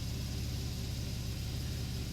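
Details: 2013 Porsche 911 Carrera S manual, DFI engine, after fixing a multiple-cylinder misfire with new coils and spark plugs: low, steady, even idle rumble with no stumble or skipped beats; normal idle.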